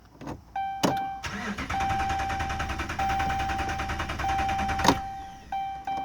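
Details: 2011 Dodge Ram Hemi at 80,000 miles won't start: starter cranks at an even rhythm for about four seconds under a warning chime but never catches; owner suspects no fuel.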